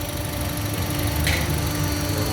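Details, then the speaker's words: 2008 Honda CR-V idling with an uneven, lumpy beat: cylinder 2 misfiring; swapping the coil left the fault on cylinder 2, and its injector was found clogged, dripping rather than spraying, then cleaned. "สั่นครับเนี่ยหัวนี้ไม่ทำงานนะสูบ2คืออะไรวะสูบ2มันไม่ทำงานอ๋อ"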